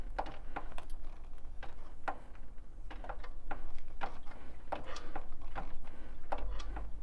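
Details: 2015 Triumph Speed Triple 1050R: sharp cracking clicks about three a second over low rumble, caused by a loose front sprocket nut; fixed by fitting a new drive set.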